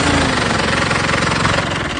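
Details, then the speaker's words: Mitsubishi Montero 2.8 diesel at idle: loud, steady "taca-taca" knock keeping time with the engine, harsher than normal diesel clatter; strange engine knocking, source unconfirmed. "Tiene un sonido bastante fuerte. Tiene como un taca, taca, taca, taca que se diferencia bastante bien. No es agradable el sonido."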